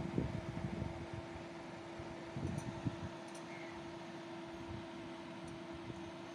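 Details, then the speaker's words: Desktop PC power supply fan on startup: constant loud whooshing rush with steady hum, no pitch change; noisy power supply fan. "এই আওয়াজটা মূলত আমাদের যে power supply, এই পাওয়ার সাপ্লাইটাতে এই সমস্যাটা হচ্ছে।"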